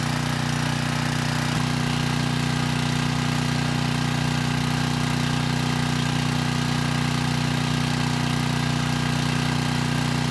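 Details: 6,000 watt Troy-Bilt generator after repair, 15-minute run with a 3000 watt load and 240 volts at the 240 outlet: constant drone at even speed throughout, no surging or misses; normal running under load.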